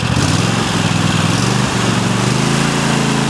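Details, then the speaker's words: 2015-engine Cub Cadet XT1 Enduro Series lawn tractor (2016 machine, 4-5 years old) engine raised from low idle to max throttle, then back to low: steady, even V-twin drone, no misfires, knocks or hunting; engine runs great. "Mack power and low speed again that sounds great good to go been shutting off man machine ran great"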